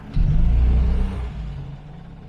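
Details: Morris/BMC 1300 petrol engine, warmed up (temperature mid-gauge), after fitting a new engine mount: pulls away cleanly with a little throttle, no knock or the previous clunk from the engine bay.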